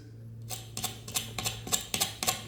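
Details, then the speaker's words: Sharp dry ticks, about three a second, as a worn roller wheel from a sliding shower screen door is spun by hand after the door is lifted out; worn roller bearing rattle, wheels to be replaced. "And if we have a look at the wheels here, I'll wait for this to focus for you guys. You can hear those bearings."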